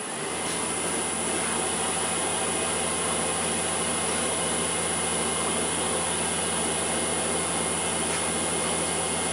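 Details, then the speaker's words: Land Rover LT230 transfer case on a test rig, reported noisy, running with diff lock engaged: steady, even hum with no knocks, grinding or rising whine; sounds fine, only fault seen is sealer on the casing around the intermediate shaft. "it sounds fine to me so is the problem somewhere else"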